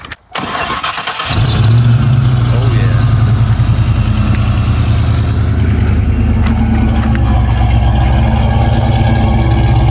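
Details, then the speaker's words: 1980 Chevy C10 with 377 stroker V8, Edelbrock AVS2 carb, Cobra intake, MSD ignition, small cam: quick crank and catch, then a deep, even, lopey idle with no knocks or misses; normal start and idle. "that sounds pretty good right there wow oh yeah let me get back here do that again hit that again that's pretty sweet"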